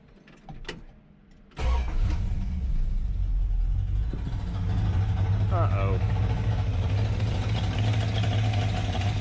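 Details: 1965 Dodge Coronet with swapped-in LA 360 small-block V8, first start after fresh install; catches after a short crank and settles into a lumpy, uneven low rumble instead of a clean idle, may need idle raised; cause not yet clear.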